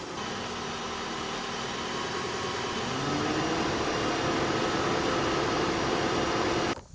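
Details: 2014 Mitsubishi Outlander blowing warm air, cold engine, A/C on full: steady fan rush rising over about three seconds, no clutch click or compressor load; compressor not engaging.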